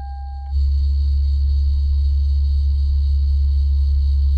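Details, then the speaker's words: 1999 Lexus GS400 with failing ABS module/master cylinder, noisy for six months, ABS, VSC and VSC OFF lights on: at key-on, before starting, a short beep gives way to a loud, steady low hum as the ABS pump pressurizes. "pumping up right now and once it stops i'll start it up and then i should be good to drive uh without that beeping noise"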